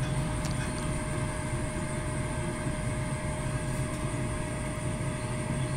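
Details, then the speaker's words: King Pellet Stove KP130 on test: steady, even motor hum over a low rumble as the combustion blower and auger run; normal blower and auger operation, igniter not yet checked. "that seemed to work all right we got combustion blower and augur"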